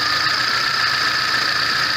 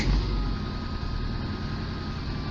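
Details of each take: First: VAZ 21099 after a burnt valve was replaced; the earlier misfire, shaking and hunting idle are gone: steady, even idle with a constant hiss and no stumbles, compression now equal on all cylinders. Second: VAZ 21099 (Lada 99) with idle hunting: engine starts cold fine but once warm it misfires, shakes and jerks with uneven lumpy beat and lost power; sensors, injectors and air leaks checked, low compression misfire.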